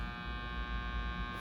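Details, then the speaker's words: Arvin 257T tube radio powered at 117-118 V during IF alignment, signal generator at 455 off: steady low hum with fine even buzz and hiss from speaker; normal background static. "Power's going on. Voltage is exactly 118. Knock it down a notch. 117. You can hear the static in here."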